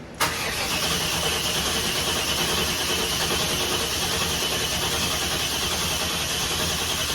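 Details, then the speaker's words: Deadwood custom sled, newly wired: steady starter cranking for several seconds with no firing and no fuel pump heard; no-start because the tank was empty, fuel pump later found working. "Okay, guys, I'm back. We have fuel pump. We didn't have any fuel in it. It ain't got no gas in it. It must have been that empty."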